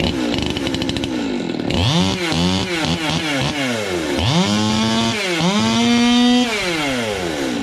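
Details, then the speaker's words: 200T two-stroke chainsaw on first test fire after new carb, intake boot, impulse line, fuel line, fuel filter, air filter and spark plug: fires crisp, blips cleanly to a high steady scream; normal running, sounds much better, just needs tuning. "that's sweet that was a success yeah and it sounds a [ __ ] whole lot better too"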